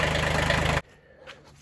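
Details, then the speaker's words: Kubota B6100 tractor after a pilot bushing repair idles with an even, steady rhythm and no knocking or wobble noise, and the transmission input shaft no longer wobbles. Normal idle. "So the Kubota is all put together. So we're going to start it up and see if we have any issues. Okay. Oh, yeah. No issues."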